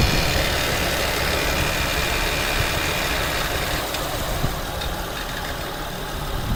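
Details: 2008 Acura TL 3.2L, about 105k miles, idling: a loose, quick rattle about four a second over a hiss from the passenger-side serpentine belt area, starting whenever the AC engages.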